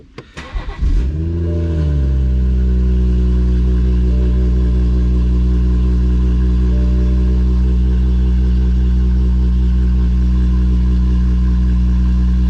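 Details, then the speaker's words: 2017 BMW M240i xDrive B58, 8-speed, first start after Bootmod3 flex-fuel sensor kit install; it catches at once, flares, then settles to a smooth steady high idle with no misses; idle drops a little, with the exhaust valve about to close. "all right so as you can see and here it started up no problem it's idled down a little bit it's going to get quieter the exhaust valve is going to close in a second and then it's you're not going to hear it at all"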